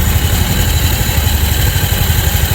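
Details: Scooter idling with the belt removed and starter bendix refitted: steady low idle with rough, gritty scraping from the bendix rubbing the flywheel, not the flywheel bearing; the noise disappears when the push start spins the flywheel.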